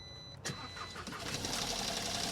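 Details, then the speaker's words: Crash-damaged 2022 Audi A1 with about 2,985 miles, chassis leg pushed back: engine catches into a rough idle with a scraping, rubbing rasp as the drive belt fouls crash-pushed parts touching the engine. "But yeah, so I've opened the bonnet a little bit, Chris, and there's a lot of stuff touching the engine."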